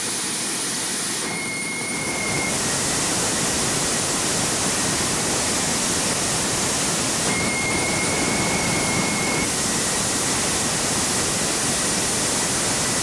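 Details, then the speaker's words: Homemade turbine jet motorcycle with a redesigned afterburner (ring nozzle at the bottom), tested in a garage: steady even jet roar with a faint high whistle, no sputter or dropout. Afterburner is stable, doesn't blow out, and ignites in all turbine modes. "Yes friends! This is victory! The result is a high-quality, stable afterburner that does not blow away at any speed."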